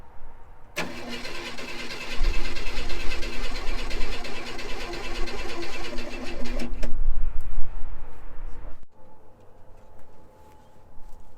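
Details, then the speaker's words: 1965 Chevy Impala pulled from a shed, hot-wired with gas poured into the carburetor and a bad fuel pump: steady cranking about four turns a second, never fires; spark at distributor, owner suspects bad spark plugs. "Well, we're going to give up on it. Can't get it to fire. I'm pretty sure the plugs are all bad as the issue."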